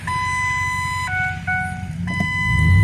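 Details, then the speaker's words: 2007 Ford F150 at idle, about 250,000 miles, aftermarket exhaust: steady electronic warning chime stepping between two pitches about once a second; seat belt chime, dash also says brake on. "And it's got a bunch of ding dongs and buzzes. Drive me nuts."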